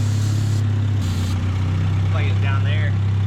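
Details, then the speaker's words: 1979 Chevy LUV, idle while spraying around the carb base and intake: steady low drone that dips and wavers, pointing to a vacuum leak, suspected at base or intake gasket. "I don't know if y'all can hear the engine change, but it definitely is. We've got a vacuum leak somewhere."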